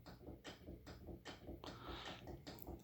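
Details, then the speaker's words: 1991 Canarm P-36 36-inch spinner ceiling fan on a long downrod, running on medium: it wobbles heavily, and the downrod ball socket knocks the canopy about twice a second over motor hum and bearing noise. "it does wobble a lot on medium you can actually hear the uh the ball socket bumping on the lower part of the"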